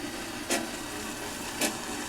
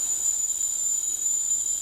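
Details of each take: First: Mr. Coffee tea kettle filled to maximum, heating; steady soft hiss with two short crackling bursts, an odd noise of unclear cause while heating. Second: Mr. Coffee tea kettle filled to maximum, reaching the boil after almost 10 minutes; steady piercing high whistle over faint hiss, train-like, whistling normally at boil.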